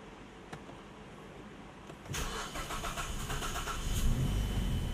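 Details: 2010 Mazda 3 2.5L manual, jump-started backwards, after a fuse was moved restoring module communication: cranks briefly, catches cleanly, settles into steady even idle with no knocks or misses; healthy start, no dash lights.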